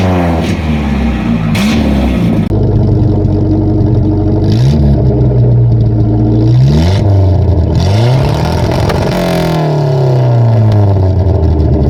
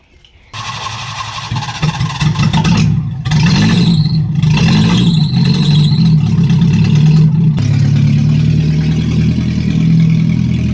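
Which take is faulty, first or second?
second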